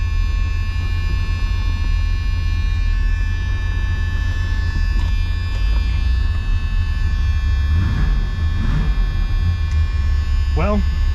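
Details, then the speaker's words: Supercharged 1976 Chevrolet Corvette C3 Stingray, unused for years, first run and drive: steady electrical buzz over the low idle rumble that never changes pitch; brakes nearly absent, transmission fine. Electrical buzz, cause unknown. "all right well got a love the buzzing but uh let's see if she moves"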